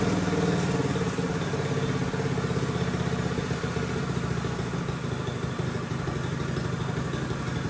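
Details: Mini bike small single-cylinder engine just fitted with a Nibbi Racing carburetor and air filter, air-fuel screw adjusted until it started: even, quick popping idle with light clatter and no misfires; normal idle.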